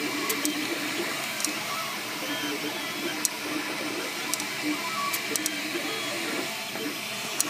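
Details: MakerBot Replicator 2 3D printer running: irregular sharp clicks every second or so plus short squeaks over steady hum, coming from the side opposite the motors; cause unknown.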